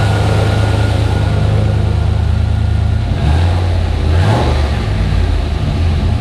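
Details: Turbocharged junkyard 5.3 LS V8 in an S-10, started after a rebuild that replaced a bent gen 4 rod (the earlier tick was thought to be a piston hitting the crank). Strong, steady idle with smooth throttle blips and no tick or knock; sounds healthy.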